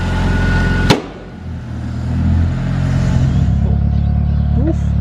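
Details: Mitsubishi CE Lancer with SOHC 4G93 turbo, after Walbro fuel pump upgrade, checking fuel pressure: after a sharp thump the engine revs cleanly, holding a strong, even note with no stumbling; running well.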